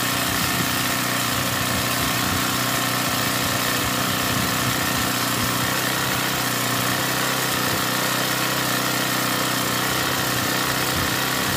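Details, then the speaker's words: Honda GX35 brushcutter four-stroke restarted after power-steering fluid was mistakenly used as engine oil (stalled after 5 min), drained and refilled with Honda oil but overfilled; excess cleared via spark plug hole; steady fast idle, even clean firing, running normally. "โอเคนะครับติดๆแล้วครับ"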